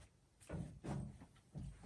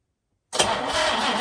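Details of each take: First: 1966 Jaguar E-Type OTS roadster, first start attempt after over half a century of storage: the starter churns steadily but the engine never fires. There is no spark; a fault from the distributor rebuild or the vintage coil is suspected, not confirmed. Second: 1966 Jaguar E-Type OTS Roadster, first crank attempt after over half a century, new battery, ignition on, cylinders treated with Marvel Mystery Oil: starter spins the engine strongly with steady, even chugs; good compression, normal healthy cranking.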